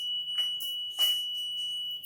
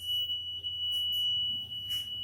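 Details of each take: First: Motorcycle WiFi smart keyless alarm, auto-armed after the bike is switched off and handlebar locked: steady piercing high-pitched tone with light handling noise; anti-theft alarm sounding as intended. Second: WiFi Smart Motor V1 keyless motorcycle alarm, armed automatically after ignition off: shrill continuous ~3 kHz tone with chirps; alarm triggered when ignition is forced open or bike is vibrated.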